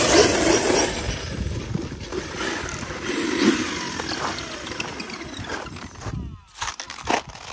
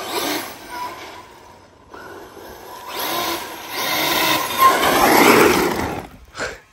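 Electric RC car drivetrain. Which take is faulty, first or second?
first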